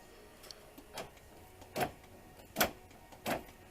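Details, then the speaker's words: 2005 Dodge Grand Caravan sliding-door power lock actuator, replacement fitted with the correct driver's-side arm: four or five short, crisp whirr-clunks about a second apart, quick and clean; the actuator is working normally. "is working so we're good to go we'll put the play this back in the door"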